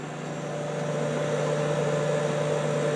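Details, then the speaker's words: Kenmore dehumidifier after cleaning and oiling the motor, compressor plugged back in, in a cold basement: steady low hum with an even whir, no rattle or wobble, smooth with few vibrations; normal running. "let's give this a run up and see how it sounds oh that sounds fantastic"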